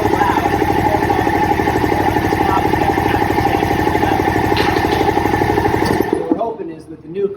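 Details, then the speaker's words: Old air compressor of unknown age, head rebuilt about 30 years ago, running before replacement: a loud, heavy, rhythmic pumping clatter for six seconds, then winding down and stopping; excessively loud, too noisy to hold a conversation nearby. "with the new compressor, you'll be able to have a conversation and actually be able to hear the person next to you."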